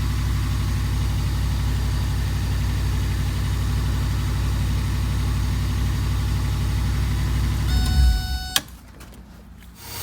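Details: 1982 Mercedes 380SL: fast steady drone that never settles, idling at 1500 rpm; high idle, idle speed control module suspected.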